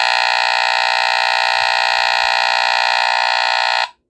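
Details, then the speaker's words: Vintage 1979 Pyrotector Smoke Sentinel 30-52 photoelectric smoke detector, probably a rear-firing Faraday vibratory horn, test lever held fully down; loud piercing buzz holds nearly four seconds, cuts off cleanly, sounded almost instantly; something may be rattling loose inside. "well that time it went off almost instantly like that one interesting"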